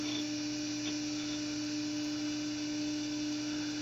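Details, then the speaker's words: Power Computing PowerWave 604 Mac clone (1995–96, PowerMac 9500/150 equivalent) powered on: a loud, steady mid-pitched whine with a faint hum and no clicks or scraping as the SCSI hard drive spins up. Running normally. "Well, now that we've got this all hooked up, let's fire it up. Ah! That was pretty loud, but it's a familiar sound."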